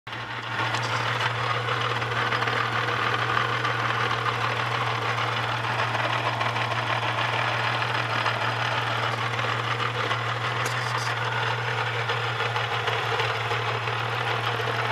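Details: Holden VS Series 2 Ecotec V6, about 400,000 km, idling: steady low hum with loose uneven rattle that seems internal; cause suspected, not confirmed; owner considering replacement lower-kilometre engine.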